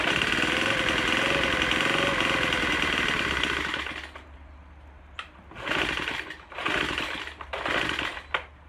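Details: Troy-Bilt TB4HB EC four-stroke leaf blower, unstarted 4–5 years, new fuel lines, full choke, primed: ragged uneven buzz stumbling into separate surging bursts, running rough. Breather cap loaded with oil; owner suspects compression leaking into the crankcase, not confirmed.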